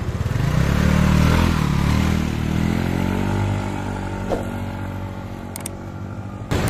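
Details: Yamaha Mio Sporty scooter after repair for lost compression (leaking valve or piston rings blamed): revs rise then fall back to an even, smooth idle, no knocking or misses; engine smooth, no smoke, stable idle, exhaust leaks.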